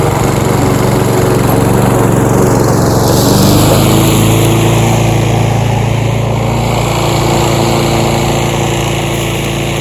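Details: Roadside-found Troy-Bilt TB230 self-propelled lawn mower (Briggs & Stratton) after tune-up and cleaning dirt and rusted metal from under the deck, cutting grass: steady, even single-cylinder drone holding speed, no misses or surging; normal running under load.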